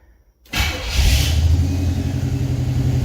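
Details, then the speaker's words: 1966 Pontiac Catalina Wagon V8 started with throttle blade closed then opened two half turns, IAC troubles: fires up and holds fast, somewhat uneven idle that starts coming down as the IAC tries to close fully. "Okay, she's idling a little high, but she's coming down. She's trying to close all the way."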